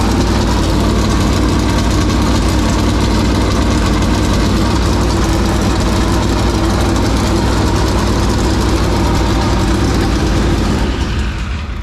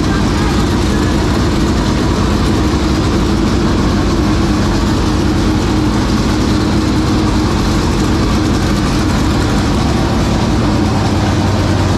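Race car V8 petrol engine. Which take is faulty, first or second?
first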